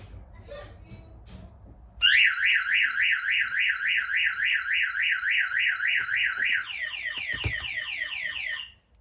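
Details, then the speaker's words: Newly installed aftermarket car alarm test: loud warbling siren sweeping about three times a second, then faster chirping tone; alarm, door locks and door trigger working properly. "Okay, so that as you can hear, our alarm's working, door locks are working, door trigger's working."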